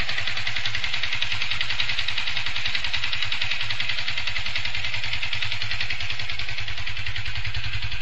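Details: Yamaha FZ150i: a rough, uneven clatter over a steady idle, with vibration worsening daily. The noise returned despite an overhaul and new engine bearing and primary driven gear. Owner suspects the valves; not confirmed.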